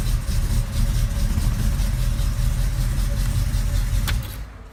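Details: Engine that kept running a few seconds after key-off because its electric cooling fan was wired without a relay, now with a relay added: steady low idle for four seconds, then a clean die-away at key-off with no run-on. Fixed.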